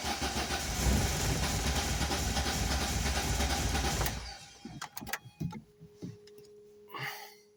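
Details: Volvo 480 turbo after long wet storage, new plugs, leads, rotor and cap: steady cranking about three turns a second for four seconds, no start, then clicks; tries with fuel in intake, fuel pump or relays suspected.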